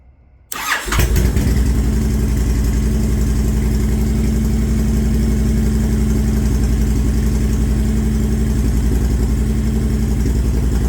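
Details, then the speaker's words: Honda Fury V-twin right after startup, following Cobra PowrPro Black fuel tuner installation: it settles into a loping idle with a wet bubbling burble through the exhaust. Too much fuel is going into the mixture, running rich, and it needs tuning. "Okay, so I can tell right off the get-go that there's already a lot of gas going into the mixture there, because I can just hear the bubbling through the exhaust. So this is definitely going to need some tuning."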